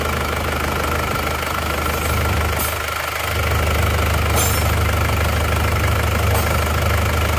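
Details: Isuzu Panther Touring diesel rebuilt (cylinder block bored, new liners) after overheating from coolant loss on the toll road, nozzle pressure readjusted from very low; steady low idle with even smooth beat, no irregular knocking, running cleanly.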